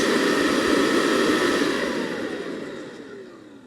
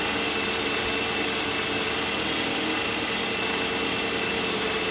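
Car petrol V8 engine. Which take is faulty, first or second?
second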